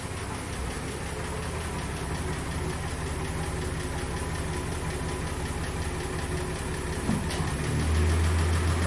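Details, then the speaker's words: 1963 Dodge Polara slant-6 running with an occasional uneven rhythmic knock under the exhaust, mainly at higher RPM; bottom-end problem, probably a spun rod bearing suspected. "It's an occasional knock. It doesn't knock all the time, but definitely at higher RPMs."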